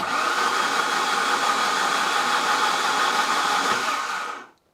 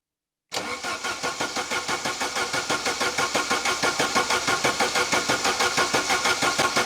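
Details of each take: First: Saab 900 Turbo Commander, parked 10+ years, cranked with spark plugs removed: steady even whirring spin with no catches, drag or knocks; engine turns freely, oil pressure not yet known. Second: Saab 900 Turbo Commander, first start after 10+ years parked under a tarp, fuel likely not yet at the injectors: steady cranking at about three compressions a second for eight seconds, never catching; no spark because the ignition module wasn't fitted.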